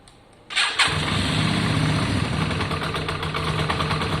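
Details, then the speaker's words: Yamaha Virago 535 after carb cleaning, re-jetting with different main jets and both mixture screws set to baseline: a quick crank catches within a second and settles into a steady, even idle with no misses. "there any choke on use choke for 30 seconds oh i think that sounds better right wait let it warm up"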